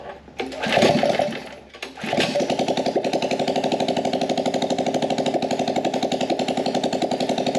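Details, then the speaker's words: Small carbureted engine on a gas Power Wheel build, started with brake cleaner, no air filter or muffler: harsh open popping about four beats a second, uneven and stumbling; owner suspects it is running lean. "now this thing isn't running 100 great because it's probably running lean we got no air filter on the carb so nothing restricting the air coming in"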